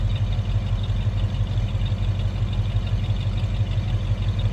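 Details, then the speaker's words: 1966 Ford Mustang convertible, 289 V8, GT-style exhaust, after cold start: deep even burble, steady low exhaust rumble, no knocks or misses; healthy small-block idle. "Just nice sounding 289. A little rumble coming out of that."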